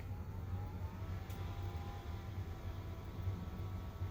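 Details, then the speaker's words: BenQ HT1075 DLP projector that overheated and shut down after exploded lamp glass clogged and damaged its blower fan; after replacing fan, soft even whir with no rattle, scrape or pulsing; normal blower fan operation. "we found the new fan sounds good"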